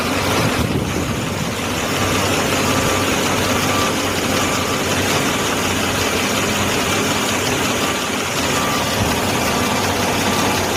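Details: 2015 Mercedes-Benz GLC300 petrol engine at idle: a busy, fast valve ticking chatter over the low hum; cause suspected, not confirmed.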